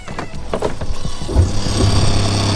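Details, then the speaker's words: Fresh water pump on a 2019 Keystone fifth wheel RV refilling the drained Suburban water heater: low steady hum builds and settles into an even drone; pump running normally. "You can hear that. That's my water pump filling back up my hot water heater."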